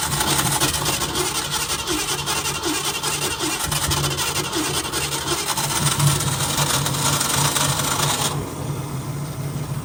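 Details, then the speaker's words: 1965 Ford Mustang 289 V8, restarted the day after first fire-up: light rapid tapping over the idle, quieter than the previous day's lifter tick but still clicking. "does sound a lot quieter as far as that lifter tick I think we were getting yesterday goes, which already makes me feel a little better. It is still definitely making a little bit of a click, a little tap."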